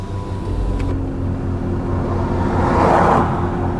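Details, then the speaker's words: Land Rover Discovery 2 diesel idling parked after a long drive with earlier power loss: loose, uneven knocking clatter about three per second over the low rumble; diesel knock, cause unconfirmed. "Yeah, we definitely got some diesel knock going on. I can hear it knocking, knock, knock, knock, knock, knock, knock, knock, knock, knock, knock. It's clattering, clatter, clatter, clatter, clatter, clatter, clatter, clatter."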